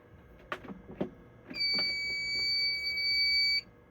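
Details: Fire alarm panel after a smoke detector test and reset, with the panel bugged out: a few handling knocks, then a steady, piercing high beep for about two seconds that cuts off. The panel is alarming for no clear reason.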